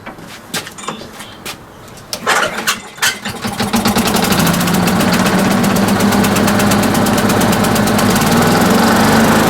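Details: Quantum engine after fitting a new carburetor float needle seat (ethanol-damaged, was leaking fuel), started on choke: a few cord pulls, then catches and settles into a steady, even beat; runs clean.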